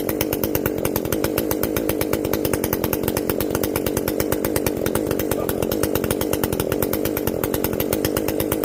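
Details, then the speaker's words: Echo CS-590 chainsaw after carb limiter removal and opened-up exhaust, high jet turned up a full turn plus low jet richened: crisp, even two-stroke howl at steady high revs while cutting, no sag or stumble; runs clean, not running hot. "i think we did it uh it is definitely not running hot uh i mean from what little bit i tested here all that heat is getting out we've opened up that exhaust"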